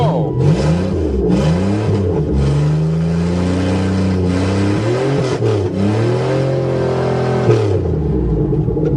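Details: Buick Regal after repair, corrosion scraped from a plate for a good ground: engine catches cleanly, then smooth even revs rise and fall with no misfire or stumble; healthy start.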